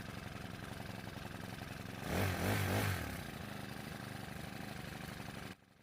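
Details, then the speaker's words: Honda grass cutter engine that would not rev, after valve adjustment and idle screw turned in a couple of turns, clutch not yet fitted: brief rev then even single-cylinder idle, no misses or surging, clean shutoff; normal. "So engine is taking the throttle and it's working perfectly fine."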